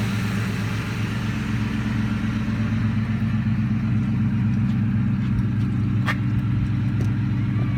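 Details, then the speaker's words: 2003 Ford Mustang GT V8 after small adjustments, missing bolts and nuts added, ground wire repaired: steady even low idle burble, smooth exhaust pulse, no knocks or misses; runs great. "So I've had a few little adjustments here, adjustment there, just trying to get little things cleaned up and get under there, and put some bolts that were missing or some nuts on some harness things, and this and that. But now the car runs great."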